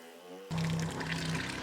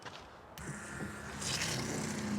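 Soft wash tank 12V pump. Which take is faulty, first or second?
first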